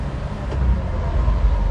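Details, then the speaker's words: Honda Acty HA3 2WD Japanese-import mini truck held in gear on test drive, after jump-pack start with high idle while warming up; low, steady drivetrain rumble with no clunks, knocks or gear whine; driveline sounds healthy. "sounds pretty good i'm going to put my seat belt on just in case"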